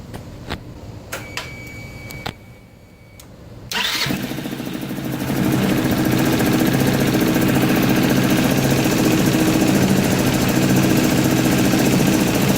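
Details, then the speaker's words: Scooter after reseating a popped-out green wire in the harness that prevented starting: a few clicks, starter spins, fires at once and settles into a steady even idle; normal start and idle. "so that's it that was the whole reason this bike wasn't starting what the starter motor is working really good now too"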